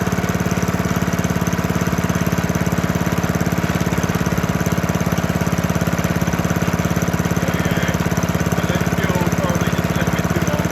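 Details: 1972 Hayterette mower, very worn with hundreds of hours, cold engine on fresh fuel after 6-7 months unused: strong, even single-cylinder beat, steady, no misses or surging; hard to start but runs strong.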